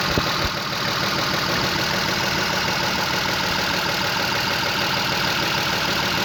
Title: работае как дизель и стучит двигатель Chrysler LHS 3.5 V6